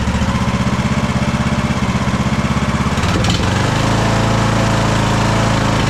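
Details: Craftsman DLT3000 lawn tractor engine, jump-started, oil level full: uneven, lumpy idle with a pulsing beat that falters then settles. It is running rough and backfiring through the carb, among its carburettor problems.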